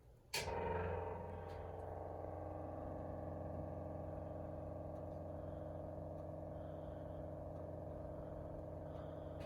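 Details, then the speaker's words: Auxiliary 6V positive-ground electric fuel pump on a 1938 Chrysler running after installation, about 6 psi; a click then a quiet, steady hum with no faltering; pump working normally. "You can hear the pump working. Seems to be working."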